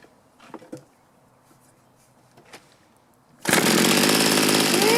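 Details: Mantis mini tiller two-stroke, sat about 10 years, after carburetor metering diaphragm replacement: fires after a quiet spell and runs at a steady, buzzy high speed without stumbling; before low-side carb adjustment.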